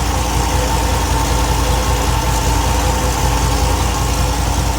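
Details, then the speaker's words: 1964 Buick LeSabre V8 at idle after carb refresh, first start, warming up (about 142–160, thermostat not yet open); steady deep even idle with only a faint occasional stumble, now smoother after adjustment. "That sounds better. No? You want to go right there? Smooth it out quite a bit."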